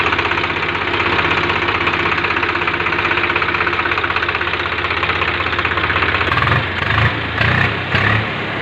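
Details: Swaraj 735 tractor diesel, started for a check after repairing a piston seized by overheating. It idles with a steady, even clatter, and throttle blips rise and fall cleanly; sounds healthy.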